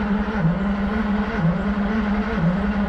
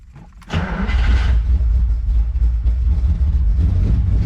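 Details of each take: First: 1972 Ferrari 365 GTC/4 non-runner, ignition on and fuel pump running: steady, even cranking about one beat a second for three seconds with no firing; mechanic suspects no spark, unconfirmed, fuel also to be checked. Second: 1972 Ferrari 365 GTC/4 that failed to start, after checking the carburetors and filling the fuel rail: engine catches within half a second and settles into a steady, deep, even run, no misfire or knock.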